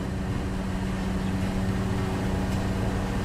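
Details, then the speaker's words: 2000 Toyota Tundra SR5 4.7L idling in gear at full operating temperature after 10–15 minutes running: steady, even hum with no dips or hunting; idle was about 1,100 RPM cold and dropped as it warmed, as intended. "what you saw earlier when it first started it went to about 1,100 RPM because it was cold and as it got warmer the idle dropped that's the way it's supposed to"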